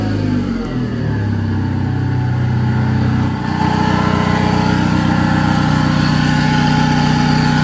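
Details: Engine revs, then settles into a fast, steady rhythmic tapping at about four per second over the idle hum. Abnormal engine noise, cause unclear.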